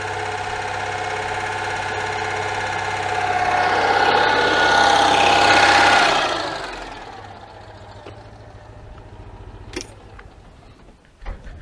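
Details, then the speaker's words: 1992 Oltcit petrol engine, fuel dribbled in after solenoid check: runs unevenly with wavering climbing revs then dies after about six seconds; solenoid not the cause, before the Solex carburettor was opened. "ah that wasn't the of the issue obviously that is still um still not working well this is officially perplexing"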